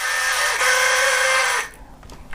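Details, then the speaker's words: 50-year-old LEGO 4.5-volt train motor: a high, thin whine lasting about a second and a half with a buzzy rattle, then cutting off; the motor works but is noisy and doesn't sound healthy. "this is an old four-and-a-half volt train and it has got a motor that works it's a bit noisy"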